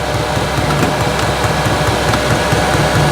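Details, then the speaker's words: Newly installed eBay diesel heater in family caravan, first run, 114 degrees, very hot air output: steady whooshing fan with faint soft uneven ticking, no rattles or surging; running normally. "yeah that's definitely hot air coming out of there like really hot air"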